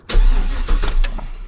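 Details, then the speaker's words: First start after DIY crankshaft position sensor replacement, with the detached exhaust reconnected. A brief crank, then the engine catches cleanly into a low steady run. Normal start. "All right, she's alive. There she is."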